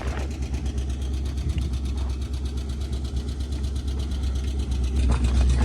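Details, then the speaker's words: 1978 Ford dump truck V8 used as a wrecker, at idle: steady light lifter ticking about four a second over the low rumble; owner worried of near engine failure and questions Royal Purple oil. "When I went and got it, the whole time I'm gone, I'm freaking out because I can hear the lifters ticking."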